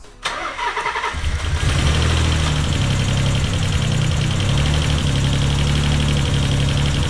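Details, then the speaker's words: Nissan 300ZX with freshly built VG30 engine, misfiring and ticking after limping off the highway; cranks and catches, then lumpy uneven idle with irregular stumble, owner suspects a whole cylinder bank lost; teardown later traced it to damaged valves. "it sounds like it might have lost an entire Bank of cylinders again possibly"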